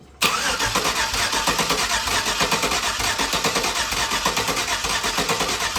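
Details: LS 5.3 V8 for a Nova swap, base-tuned with HP Tuners and run on the garage floor: steady starter cranking with scattered weak "bloop" pops, no start. With the intake manifold pulled, only one injector was firing; another injector set fixed it.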